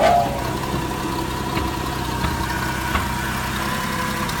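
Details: 1975 Ford F-250 idling smoothly with an even low rumble and no knocks or misses, engine running healthily.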